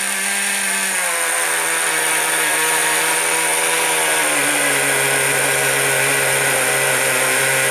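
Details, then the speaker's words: Traxxas Sport Maxx/T-Maxx 2.5 nitro engine, revived after sitting four to five years and a suspected vent-line fuel problem: high-pitched steady scream, slight pitch drop, no sputter or cut-out; runs great. "runs great all right"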